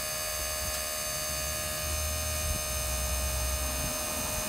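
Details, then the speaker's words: Leed Brakes Black Bandit electric vacuum pump on a Silverado, added because Comp Cam 54-454-11 cut brake booster vacuum; pump running, low steady hum with faint even buzz, not very loud, no knocks; normal. "Not very loud. So you'll hear this kick on, it's the pump pumping air. We're going to fill this up to 22 psi."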